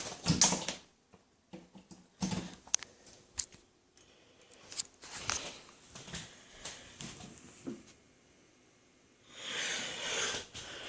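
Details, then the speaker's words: 1940s shoplight fluorescent fixture converted back from rapid start to preheat, heard up close: very vocal starters giving sharp irregular clicks in bursts with quiet gaps while striking the lamps; fluorescent starter clicking. "These are very vocal starters."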